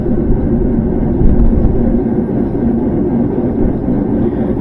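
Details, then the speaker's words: Modern GE top-load washer in service-mode spin test: rumbling at slow spin rising to a deep steady roar at high speed from worn bearings inside the sealed gear case, which can't be repaired. "if you can hear that starts a slow Spin and you can hear it rumbling and now it spins up the speed you can really hear"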